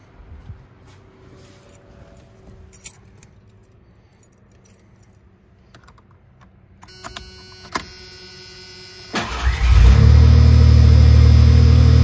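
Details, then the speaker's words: Ford Bronco II, after replacing a melted oxygen sensor connector and the O2 sensor for running poorly and dying on long trips: keys jingle, a short crank, then it catches quickly and settles into a smooth, even idle; starts and runs fine. "all right so far so good let's button it up take a test"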